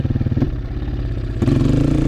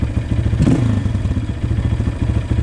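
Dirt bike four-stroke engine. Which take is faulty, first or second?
first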